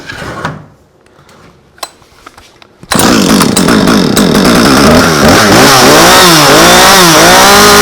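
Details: Husqvarna chainsaw after replacing the recoil starter spool, started with primer pushed and choke on: a few quiet pulls, then it catches and revs cleanly with a crisp, even two-stroke buzz; running well.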